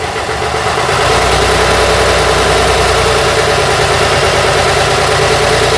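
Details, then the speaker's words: Routemaster bus RM1009's original AEC diesel just started via the toggle, idling; deep, even beat of about three pulses a second, no knocks or misses, sounding very different from a Cummins; normal healthy diesel idle. "Sounds, hey, there we go. Sounds very different from the Cummins engine."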